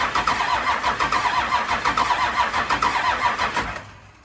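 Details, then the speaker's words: 1992 Dodge D350 Cummins diesel, first start after sitting about 14 years, ignition switch not working: slow even cranking about seventy beats a minute with no firing; fuel shutdown solenoid gets no power, being jumped. "the fuel shutdown is not getting juice so i'm jumping it"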